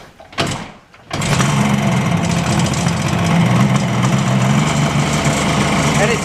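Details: Restored 2002 Yamaha FZ1 1000, charging at 14.5 V while running: after a few clicks it settles into a smooth, even idle with a steady low burble and no knocks or ticks, a healthy engine.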